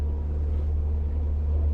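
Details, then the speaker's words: 2010 Arima Sea Ranger 19 with a Yamaha 90HP outboard of about 900 hours, just shifted into gear at low throttle: a steady, deep, even drone with no knocks, misses or rattles, healthy as a normal Yamaha. "We're gonna go ahead and shift this into gear. Let's go ahead. Sounds perfect, just like a normal Yamaha."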